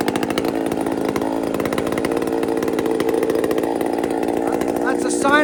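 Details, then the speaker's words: Chainsaw not run for quite a while: steady high-pitched buzz that never drops to a low, lazy idle; idling higher than it should, high idle. "This thing idles high a bit."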